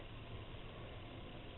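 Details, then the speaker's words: Chinese diesel air heater bench-tested, about 1.5 minutes after start with the fuel pump just started: steady soft jet-like roar instead of just fan noise; normal combustion. "And now, rather than just a fan noise, it's like a jet engine. Not that noisy though."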